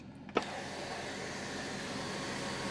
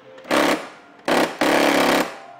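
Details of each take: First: Mercedes-Benz S63 AMG W221 sunroof, which had been grinding and failing to operate, after the faulty one of its two front motors was replaced: a smooth, even motor hum ending in a clean stop with no grinding or ratcheting. Normal operation. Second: Mercedes-Benz S63 AMG W221 sunroof, operated from the open position: short rattling grinding bursts each time the switch is pressed while the roof doesn't move; faulty sunroof motor (one of two front motors), repaired by replacing it.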